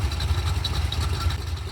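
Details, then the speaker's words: Budget SBC 350 build on test stand, restart after 20-minute first run and oil filter change, quiet Sonic Turbo mufflers fitted: deep, even lopey cam chug idle, firing smooth and regular; no wear signs found; normal idle. "Now, we can actually hear this thing idle. Going to let it idle. It's got a nice little ka-chugga ka-chug."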